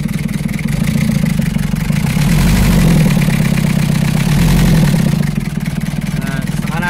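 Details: Old Toyota L diesel engine, long unused, started after repairing the starter and wiring the injection pump solenoid directly to the battery. Settles into a steady, even idle with a regular beat and slight rise and fall; no misses or knocks.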